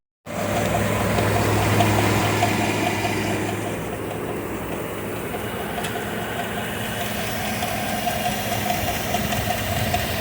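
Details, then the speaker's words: Well-maintained engine idling: a steady, regular deep knock, about four per second, diagnosed as a number three rod knock. A new engine is planned. "that's uh number three rod knock so no bueno on that one"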